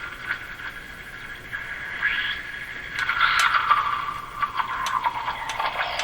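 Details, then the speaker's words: Eatons Universal Electrohome floor-standing tube radio, heavily modified by a previous owner, during an IF alignment check: wavering whistles and squeals drift over hiss, like talking through hands, as the set hovers on the edge of spurious regenerative oscillation. "sounds like somebody's talking through their hands and then doing this that's the sound right here it's close to breaking into oscillations what it is"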